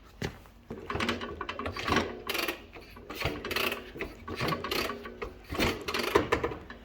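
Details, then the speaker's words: Velocette LE Mk2 water-cooled flat-twin motorcycle, newly acquired project with modified wiring, hand pull-starter: uneven pulls about once a second turn it over against compression but it never fires; cranks, won't start. "so the engine turns over and it sounds like it's got compression but it's not running"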